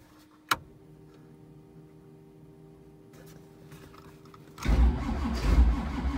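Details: Cold start at about two degrees on an 85 Z28 Camaro with a dual-carb 383 stroker after battery charging: slow, uneven cranking with one sharp pop, then rougher cranking; engine never catches, a no-start.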